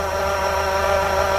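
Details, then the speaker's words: Honda Civic 2.0L at idle, AC off, heard through a bar on the AC compressor housing with the wheel removed: steady high whine loud at the compressor. AC compressor clutch bearing suspected; alternator also audible. "You can hear it clearly, exactly the same sound. From here, that sound to the rod. So I think to me, it's gonna be the AC pump right here."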